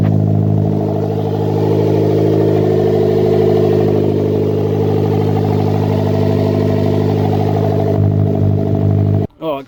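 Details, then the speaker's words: Custom turbo 1ZZ Toyota MR2 Roadster/Spyder on its first start, with the turbo oil feed deliberately left loose and the PCV and breather venting to atmosphere. Steady, even idle with a smooth low hum, no misses, knocks or rattles, and not too loud; running healthily. "but by gosh, that is amazing. Not too loud either."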